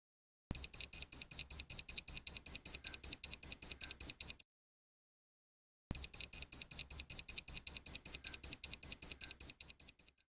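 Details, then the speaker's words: EMF tester alarm near electromagnetic field sources around a guitar workspace: two bursts of fast, evenly spaced high-pitched beeps; alarm frequencies don't all match those that affect guitar sound. "This isn't the perfect test because there's frequencies that will trigger the alarm that won't affect the sound of your guitar."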